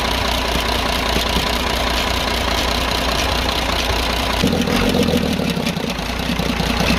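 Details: 24-valve Cummins 340 heavy-duty diesel in a loaded truck, idling after tappet adjustment: fast light ticking over the clatter, about three or four a second, after smoke from the silencer and loss of pulling power; owner suspects tappets loosened again, valve train fault.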